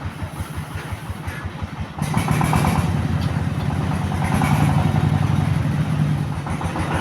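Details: S-1115 single-cylinder rice-mill diesel after rebuild, filled with water and warming up: steady even thumping, picking up smoothly after two seconds into a clean warm-up idle; some smoke noticed, possibly leftover oil.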